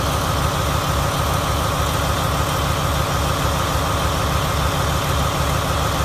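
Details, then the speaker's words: 2017 Marathon 2250 kW diesel genset with MTU engine, 1800 rpm, about 3 hours runtime, new condition, fed from a temporary diesel tank; deep, even rumble with steady beat and no knocks, rattles or hunting; normal idle. "Got it hooked up to a diesel tank right here just so you can hear it run. Checked it out. Everything seems to be normal and running properly."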